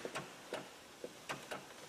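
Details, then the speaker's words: Honda Odyssey with battery going dead overnight, engine off: sharp, irregular clicks, about eight in two seconds, traced to the sliding door, reached through the speaker hole; suspected relay clicking causing parasitic battery draw. "there's a noise back here like just the clicking yeah okay okay [Music] yeah there's two noises and then it just ends up being a click"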